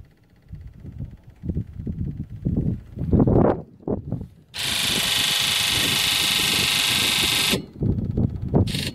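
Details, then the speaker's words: Ford 7.3L Powerstroke, key on engine off injector buzz test with Launch X431, no codes: loud steady buzz, cylinders two and three buzz weakly while the rest sound crisp; sticking injectors needing overhaul. "two and three are really really weak two is really weak three is weak but you can hear the rest of them have a you know pretty crisp sound to it so this one's going to be getting injector overhaul pretty soon"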